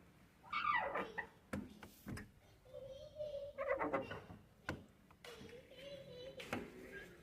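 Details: Fiat Coupe trunk lid hinge springs giving drawn-out, whiny squeaks and creaks as the lid moves, before lubricating them with WD-40.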